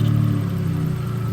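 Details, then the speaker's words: Suzuki Cappuccino with idle problems: raised, slightly wavering idle with a faint hiss; squeezing a vacuum line drops idle to about 1100 rpm, owner suspects a leak from oversized vacuum lines; high idle, unconfirmed. "I can't check obviously I'm only one person but I let it go it gets higher I squeeze lower so I think there's a leak there"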